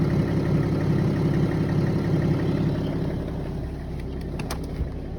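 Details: Warm BMW E90 330d 231hp diesel at idle: steady rhythmic knock about three beats a second; disappears above 1000 rpm, returns 5-6 seconds after dropping back to idle, only when warm; cause unknown.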